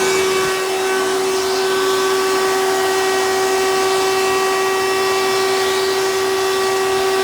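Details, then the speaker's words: 1992 Hoover Elite II 650 U4689-910 upright vacuum in hose tool mode: a loud, steady whine with a strong pure tone and extra high tones; the owner suspects the motor needs work; abnormal motor noise. "so i think you guys could probably hear that this clearly wasn't been used with the tools very often so may need to have a little bit of motor work done to it"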